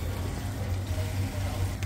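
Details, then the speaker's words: Chaffoteaux Britony SE combi boiler after main and plate heat exchanger replacement, drained and refilled, burner lit on heating to purge air: low steady burner and pump hum, no knocking, kettling or whistling; normal heating operation. "so we just running it and heating now get the air up the boiler cuz we drain it down"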